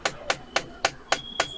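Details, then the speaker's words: Tata Altroz base model with the blower off and recirculation mode switched on: sharp, evenly spaced clicks about four per second come from inside the AC dashboard and stop after a while; the recirculation actuator is faulty and skipping. "और ये कुछ time के बाद फिर बंद हो जाएगा तो ये वाला मोड का बटन जो है इसको प्रेस करने से हमारा जो अंदर एसी का डैशबोर्ड के अंदर से कट कट का साउंड आ रहा है"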